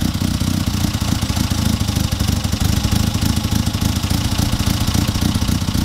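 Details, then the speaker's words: Classic Mini: steady, loud idle with an uneven, lumpy pulse and light tapping or knocking underneath. Ignition timing is suspected to be off, and a cylinder problem is feared; neither is confirmed. "It's a bit lumpy. I reckon it's probably going to do with timing off your leg."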